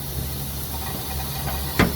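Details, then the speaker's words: 2005–2006 Ford F250 6.0 Powerstroke crank-no-start, engine off, valve cover off, driver's side under air test: steady hiss of escaping air below the high-pressure oil rail from a leaking standpipe O-ring. "so now as you can hear this leak so this is the highpressure oil rail right here"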